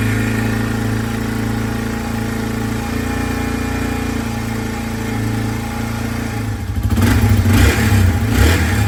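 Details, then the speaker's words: 2003 Yamaha TT-R225 single-cylinder, cold, after a no-spark repair replacing stator, ignition coil, plug cap, boot and spark plug: fires right up and settles to a steady idle, then clean throttle blips with no misfire; a little cold-blooded but running normally. "so she runs all right guys so we finally got the bike all back together and as you can hear the thing fired right up"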